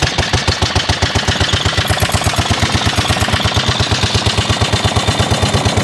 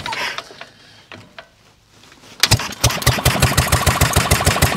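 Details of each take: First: Vintage 1930s Dennis Z-type 30in mower, hand-cranked after sitting in a barn for a couple of years, choke just off. The single cylinder chugs cold with an uneven, popping exhaust beat as it smokes and backfires. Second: 1930s Dennis Z Type 30in lawn mower, barn-stored a couple of years, points and carburettor cleaned, hand-cranked: a few weak coughs and pops, then the old single catches with choke off and settles into a loud, fast popping warm-up run; normal start.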